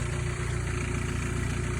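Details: Mercedes-Benz W201 190E 2.3L after no-start solved by replacing a defective cheap fuel pump with a new Bosch pump: low even rumble with steady beat, no knocks or stumbles; smooth healthy idle.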